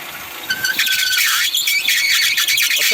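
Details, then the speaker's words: 2008 Kia Spectra running, steering wheel turned left and right: high, wavering squeal as the loose, misadjusted drive belt slips under power steering pump load, causing poor steering. "i wanted to see if that belt there was slip and i know this one's slippin"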